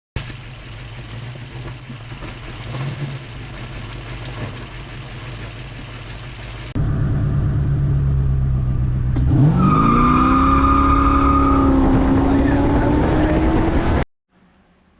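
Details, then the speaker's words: Old car just after carburetor rebuild: long labored cranking, then catches and revs unevenly before settling; hard start caused by leaking needle and seat. "hey so we tried to uh start that carburator just rebuilt and um you notice the car had a little bit of a hard time"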